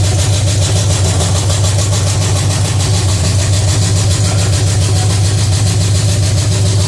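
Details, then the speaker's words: Pontiac 350 V8 in a '50 Pontiac gasser after changing plugs and adjusting the idle screw, makeshift coil wire: loud, deep, steady idle with an even lumpy beat, no misses or knocks; normal idle. "Other than that, it seems like it runs better now we changed out the motor plugs."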